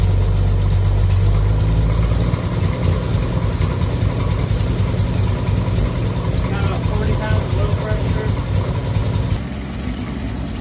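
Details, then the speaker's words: Chevy 250 inline six first start, no coolant, in neutral, fan belt disconnected: loud uneven low chuffing idle with raw puffing from a bad exhaust leak between the two parts of the intake. "I've got a bad exhaust leak between the two parts of the intake but that's okay"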